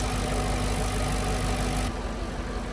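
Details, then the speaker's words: Audi A6 C5 4.2 V8 quattro after non-return valve and intake manifold repair, once lifters filled with oil: smooth, even low rumble with no ticking, misses or hunting, no error; normal idle. "But now it sounds pretty good."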